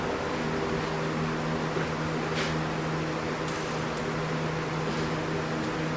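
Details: 1989 Dodge Daytona junkyard car, first run after transmission fluid soak, brake cleaner and bad gas: steady even hum, no tapping or knocking, heavy smoke from burning that stuff off; it runs, sounds good.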